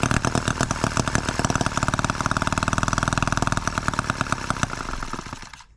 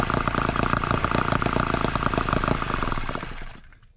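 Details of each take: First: Microcosm H74 engine on the bench, first start by drill after piston ring replacement for low compression: fast, sharp buzzy firing that wavers in rhythm, then dies after five seconds; it runs but probably needs carburetor adjustment. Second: Microcosm H74 twin-cylinder engine after piston ring replacement for low compression, heat-cycled several times, started with a drill: quick, even beat holding steady about three seconds, then winds down smoothly to a stop; runs healthily.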